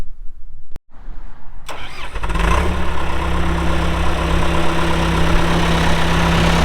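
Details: 2001 John Deere 450H LGP dozer, 9,548 hours, diesel: cranks briefly, catches right away and settles into a steady, even low rumble at idle, no excessive smoking, no oil or diesel leaks; healthy start.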